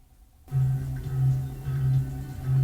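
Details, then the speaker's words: Teac PD-100 CD player after cleaning and maintenance: music jumps back in short regular loops about every two-thirds of a second; skipping, first thought tracking, stops once the disc is cleaned, so a dirty disc. "No. Sounds like the tracking is off. We'll just clean the disc to rule that out. Oh, now it's not skipping. Okay, well, it may have been the disc all along, but it was certainly worth doing all that maintenance."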